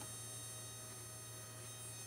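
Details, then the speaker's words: Dumble Overdrive Special amp build #124, powered on for signal-trace debugging, with relays seemingly not switching properly. There is a constant low mains hum with a thin, annoying buzz stacked above it, steady in a quiet room; the source of the buzz is unknown. "Um So, there's that annoying buzz coming in."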